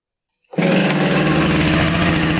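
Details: Husqvarna 455 chainsaw, homeowner's saw, after fixing a chain oiler that wasn't oiling the bar, then re-fitted with bar and chain. Silence, then it catches and settles into a steady, even high-revving buzz with no misses or rattles; runs fine.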